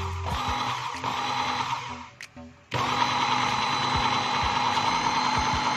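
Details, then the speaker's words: Makita 4327M jigsaw after about 2 years of use, switch tested with lock button: steady even motor whir with short pause when switched off and on; motor and switch working normally. "Dengan tombol terkunci, mesin atau tombol sakelar masih berfungsi dengan baik."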